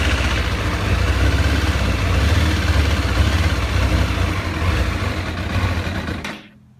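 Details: 2007 Kawasaki ZZR600 (Ninja 600), newly acquired, idling with an uneven, lumpy beat before the sound cuts off abruptly; cause of the rough idle unknown.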